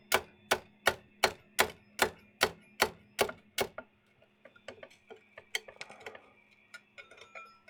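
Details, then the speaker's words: 3D printer glass bed cooling from about 50°C, heavily glued print: sharp cracking ticks slowing to scattered pops as the glass plate creaks; cracking glass print bed. "bed is still at 50 something that chucks right I used a lot of glue and you can hear that glass plate creaking"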